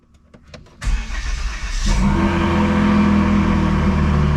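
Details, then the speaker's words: Volvo S60 T6, stage two tune, just fitted with a bigger turbo and ported exhaust manifold, first start: catches after brief crank into a lumpy, uneven idle with faint turbo whistle, struggling to idle. "but in this instance like it's having a hard time even idling like it's you can hear the turbos"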